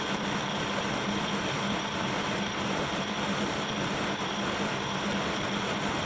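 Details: Kearney & Trecker milling machine making its first chips after restoration: a steady cutting roar with a low rhythmic pulse about every two-thirds of a second. The owner suspects a very small, undetectable bend in the arbor and says it will do fine.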